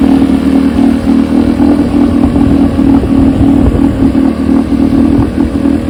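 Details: 1972 Evinrude 9.5 HP two-stroke outboard carburetor, rebuilt and chem-dip cleaned, test run on test motor: steady, even two-stroke drone at constant speed with no stumbling or surging; carburetor tested fine.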